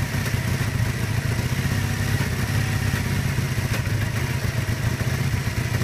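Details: 1981 Kawasaki KZ440B twin, 7k miles, choke set about half-way, idling rough with uneven, lumpy, clattery pulses that never settle into a steady beat.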